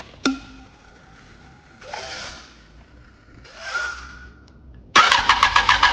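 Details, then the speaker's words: Yamaha R1 parked two years, starter motor seized with rust, after the starter was serviced: a click, then about a second of quick, even, strong cranking pulses near seven a second; the starter spins the engine briskly, no problem. "The sound of the motor is already strong Force means there is no problem."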